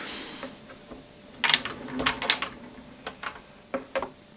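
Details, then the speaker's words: French BM4 lawnmower engine being pull-started: sharp metallic clacks in loose clusters with no compression while the blade still turns; engine died mid-mow despite regular servicing; broken connecting rod. "là quand je tire le moteur on peut entendre que clac clac clac voilà pas de compression et on entend un claquement dans le moteur"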